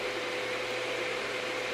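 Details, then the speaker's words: Packard Bell iMedia S3720 desktop, now booting and posting after repair: steady loud rushing fan whoosh with a faint constant whine, coil whine noted, no change in speed; the fan is still far too loud. "computers fixed thank God for that still sounds loud as hell though"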